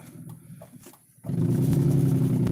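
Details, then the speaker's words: 1998 BMW 320i E46 with straight-piped exhaust at full throttle: loud, lumpy, uneven rumble and rattling, running as if on three cylinders and unwilling to pull; owner suspects ignition misfire, not confirmed. "This is a BMW 320i E46 from 1998. Man, that's not a good sound."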